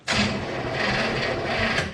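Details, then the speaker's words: 1967 Chevrolet Impala, 283 V8, Powerglide, sitting since 2005, cranked on booster pack: slow strained whirring crank for about two seconds, never catches, worse than before; battery dead, battery cable ends suspected. "It's worse. Still not happy. And that's dead too!"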